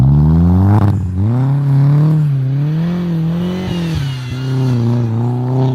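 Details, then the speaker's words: 1.8T after fitting bigger injectors and a new metal bypass valve in place of the plastic one, cone filter fitted: revs climb and fall smoothly, with a quick sharp whoosh as the throttle snaps shut; normal diverter valve venting. "Aga miks ma vahetan on ikkagi sellepärast, sest selle klapiga ta teeb natuke teistsugust väheke õemat häält, kui ta rõhu maha laseb. See hääl siis põhimõtteliselt võimendub siit koonusfiltri abil."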